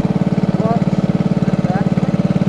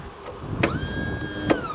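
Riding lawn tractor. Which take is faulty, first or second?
second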